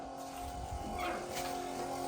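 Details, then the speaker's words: 24v 5.9 Cummins diesel Ram, key-on after VP44 injection pump replacement and Edge Insight install: steady constant-pitch electric whir of the lift pump priming normally, fuel pressure building on the gauge. "So, what I did right now is I just bumped the key. Um I'll do it again. It just makes the fast run. You see the pressure building there."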